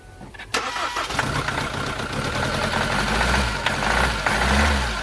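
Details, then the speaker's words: SsangYong Musso rebuilt engine on first start, air still in fuel: engine catches into an uneven, lumpy idle with a stumbling beat; misfire traced to faulty number two injector, replaced, after which it ran well. "it was number two injector that was knackered and I had one in my toolbox so I'll put that in there and it's running nice"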